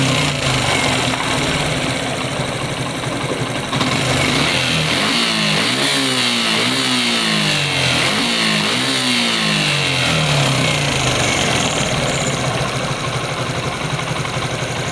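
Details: Suzuki Gixxer single-cylinder at idle and during blips, with a light metallic rattle that is loudest as revs rise and fall; timing chain rattle, chain replaced.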